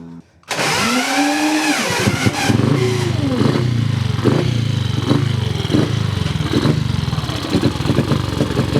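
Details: Cub single-cylinder motorcycle at start-up: kicks into life with a rev, then hunting uneven idle with irregular pops; carburettor idle screw seems too short to raise the slide enough to idle.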